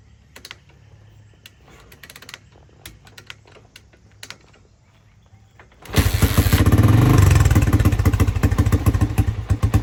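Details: 1985 Honda XR350R four-stroke single, sat outside 6–7 years, first test start after carburetor cleaning and fixing fuel leaking from the overflow: a few light clicks, then it fires and settles to a steady, even thump with a short rev, no misfires.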